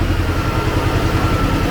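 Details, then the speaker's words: Т-40АМ tractor diesel, cold-started at about -14°C after sitting a month, using the decompressor: low, uneven idle with soft puffing pulses at the intake, the air cleaner "sneezing". "Послушайте, как чихает очиститель воздуха ."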